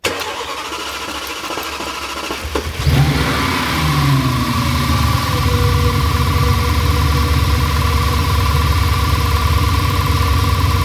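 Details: Audi S6 V10 after replacing both high-pressure fuel pumps, one leaking at the pressure sensor connection, fault codes cleared: starter whirs briefly, engine catches around three seconds and settles to a steady, even idle; healthy start.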